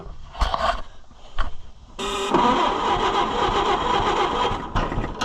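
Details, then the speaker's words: Oliver 550 tractor on a service call, fuel had been shut off and choke fully out: short cranking bursts, then it fires and runs roughly and unevenly before faltering; flooded badly. "There she fired. Flooded bad. Not running very good. That was my fault."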